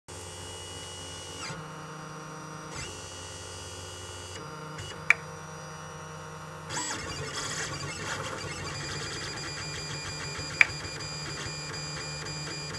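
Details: Lulzbot Mini 3D printer: steady stepper motor whine with two sharp, isolated clicks about five seconds apart; the source of the clicking is unclear.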